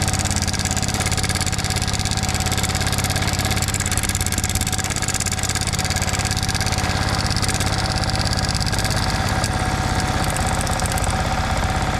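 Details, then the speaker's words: Yamaha MT15 idling: busy metallic clatter from a loose cam chain caused by a failed cam chain tensioner. If turning the tensioner screw anticlockwise quiets it, the tensioner is confirmed bad and should be replaced. "मेरे पास y का mt1 है जिसका timing chain adjust खराब हो चुका है जिसके वजह से कुछ इस तरीके का साउंड बाइक से आ रहा है"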